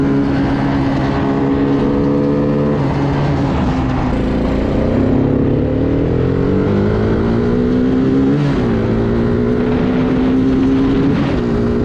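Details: Bayou 220 ATV, sat for 8 years, on a test ride with a helmet camera; the engine pulls cleanly through the gears, pitch rising and falling smoothly with throttle. All gears work, no bogging. Normal running under load.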